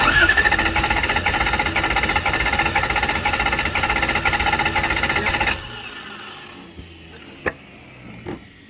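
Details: Toyota 1UZ-FE V8 in a Bushlux after sitting for years, cranking while watching valves: steady cranking with an uneven, lumpy beat about twice a second; a possibly sticking valve leaves a cylinder down on compression.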